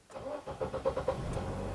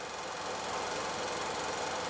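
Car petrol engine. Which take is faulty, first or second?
first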